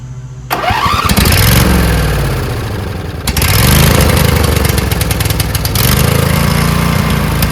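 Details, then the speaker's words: Newly rebuilt Craftsman DLT2000 riding mower engine starting after screws were tightened. Catches within a second and settles into a steady, even rumble. Sounds normal, but fuel was then found leaking from the solenoid onto the hot muffler and caught fire. "sounds pretty good. Check for leaks."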